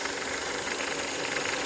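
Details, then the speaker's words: VW/Skoda/Audi 1.8 or 2.0 TSI at idle: fast light ticking felt at the oil filler cap, not the cam cover; caused by a faulty oil pressure regulation valve, more noticeable with thick 5W-40 oil than with 5W-30. "It's the oil pressure regulation valve. And this thing is specifically more visible with high viscosity oils like 540."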